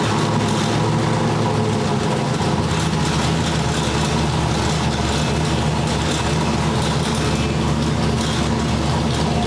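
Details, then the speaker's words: Brother's Ford V8 with a Sniper fuel injection system during tuning, static timing set, 60 psi oil pressure off idle. It had a low idle and had stalled once. Loud, even running with a steady lumpy beat and no ticks or knocks: normal, healthy running. "Sounds pretty sweet, huh? It does purr pretty well. Sounds like a dang race car is what it sounds like."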